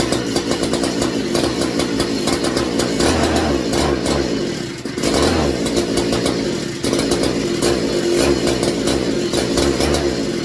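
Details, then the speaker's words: McCulloch MC49 chainsaw on a substitute 090 carburetor after rebuild, good blue spark confirmed: revs climb then sag and stumble twice instead of holding; RPM drops off under throttle, owner first suspects ignition, then fuel starvation from the carburetor. "getting fuel I've got Spark all the way through the pole and everything beautiful blue spark but when the RPMs go up it's dropping off"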